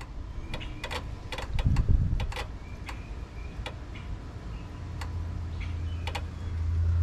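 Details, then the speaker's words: Mustang cooling fans, testing an aftermarket relay and hardwire switch on a 12 V signal with a 30 A battery feed: sharp, irregular relay clicks in quick clusters with no fan motor spinning; the fuse was blown, so the fans don't run. "the relay is clicking but the fans aren't turning on okay this took embarrassingly long to figure out but the fuse was blown"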